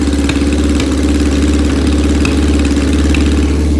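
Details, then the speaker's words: 1981 Yamaha XJ650 bobber idling loud and rough with an occasional sharp exhaust pop about every second as it warms up after choke; normal, it pops more once warm. "It gets loud, it really does. So, as you can hear, it's popping and banging right now."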